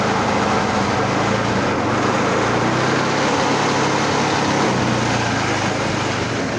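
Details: Old reel mower rebuilt with a different small engine and added oil reservoir, first fire-up: steady, even drone at one speed with no knocks or misses; engine running.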